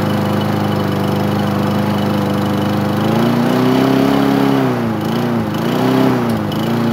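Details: Craftsman single-cylinder lawn mower engine on its first start after 9 months of storage, wiring held with electrical tape and zip ties: steady firm hum, speed rising and dipping slightly; running normally.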